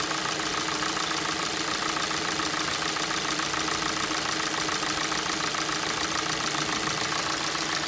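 Fast, even ticking knock over a cold idle, roughly two per second, clear background; a cold-start knock of unknown cause.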